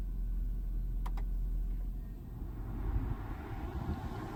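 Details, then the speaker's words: Mercedes-Benz W221 S550 4Matic climate-control blower motor after cleaning and reconnecting; the fault was intermittent (at times no airflow at all), so the fix is unproven. Steady, even low air rush with no squeal, rattle or surging: normal blower operation. "But the AC was working from time to time. So this may not prove anything. But, it's blowing."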